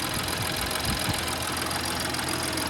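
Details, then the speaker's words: 2017 BMW X5 N55 petrol engine at idle after replacing the belt, tensioner and idler pulley and new spark plugs: steady, even idle with the pulley whine gone, just a light valve tap from high miles, expected to stop once warm. "My valve's been tapping like that. Once you get all the miles on there, they tap like that. Yeah, once it warm up, it'll stop."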